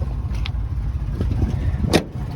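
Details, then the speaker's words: 1979 Dodge D100 step-side pickup V8, heard from inside the cab with added foam insulation, on a 2200-mile winter drive; deep even rumble, smooth, no knocks or misses; runs really well; normal running. "Listen to that. It just runs so well."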